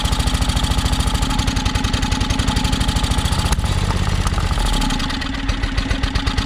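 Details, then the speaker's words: John Deere X485 lawn tractor, project machine, fresh gas and plugs checked, weak battery: single-cylinder chug starts steady then stumbles and sags unevenly; sounds starved for fuel, owner suspects air pressure issue. "so i guess my battery's about dead but that's a good sign so sounds like it's definitely um sounds like it's starving for fuel"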